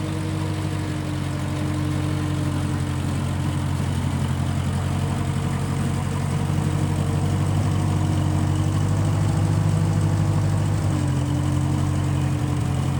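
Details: 1955 Massey Ferguson MF65 tractor, in family 30+ years, restarted after sitting a couple years; carb cleaned, Marvel Schebler carb may need slight dialing in. Even low four-cylinder drone, steady firing, small speed drift near end; normal running.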